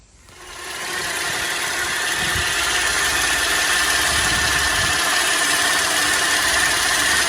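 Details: 2010 Chevy Traverse, power steering reservoir filled to capacity with the cap removed, at start-up: the engine settles to an even idle with a thin steady whine that has worsened over weeks; power steering pump suspected, not confirmed.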